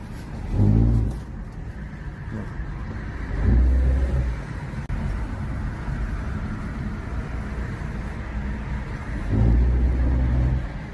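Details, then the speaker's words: Car pulling away from rest: a low buzzing vibration drone swelling with each start-off. It was traced to an engine mount, with the fitted aftermarket part suspected. "Evet arkadaşlar şimdi arabayı kalkarken arabadan bir ses geliyor."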